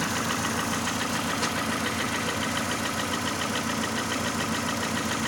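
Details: Mercedes Vaneo or A-Class 1.6 petrol at idle after an engine flush and oil change: quick light ticking, about three or four a second, over a steady idle from clattering hydraulic lifters.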